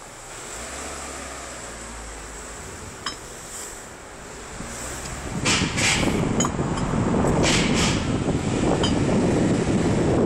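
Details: Renault Scenic II driving: sharp irregular knocks through road and wind noise, caused by the steering rack; later began on the other side too; a new steering rack cured it.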